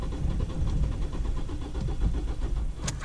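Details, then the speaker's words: 2007 Ford Fiesta 1.4 TDCi diesel with cylinder 3 injector unplugged, cylinder 1 reconnected, battery low: fast, even cranking with deep chugging that never catches. It won't start. "oh yeah I didn't like that at all uh yeah doesn't want to start"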